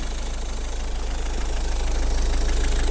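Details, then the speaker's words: Ford Focus diesel with turbo, slight intercooler oil weeping: steady, even idle clatter about 220 beats a minute, no whistle or squeal from the belt pulley/roller; engine runs normally. "То есть он ролик не слышно, чтобы свистел, но мотор в полну, в принципе, работает нормально."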